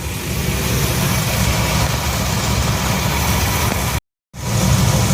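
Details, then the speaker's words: 1966 Ford F100 after a Pertronix electronic ignition upgrade in an aftermarket distributor, timing reset to about 10° BTDC: smooth, even low V8 rumble at about 750–770 rpm idle, within the cam maker's 750–800 spec. Normal idle. "i guess they fit you off so uh a 757-70 somewhere there sounds about right um i think this uh the cam manufacturer suggested somewhere between 750 and 800 so that sounds pretty good right there"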